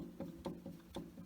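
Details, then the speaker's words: Goodman furnace blower motor that was rumbling, wheel rocked by hand with the shaft showing play: loose dull clunks about every quarter second; worn blower motor bearing, motor replaced. "hear that it's got slop in the bearing it's just wore out on this particular motor"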